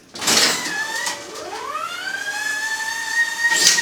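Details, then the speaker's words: Refurbished 2007 EAM Mosca ROMP-5 auto strapping machine, 800x400 mm arch, 5 mm strap: a short whir sweeps into a steady high whistle as the strap whips through; the auto-feed works normally. "And that whipping sound is success at autofed, which it requires a little bit of adjustment."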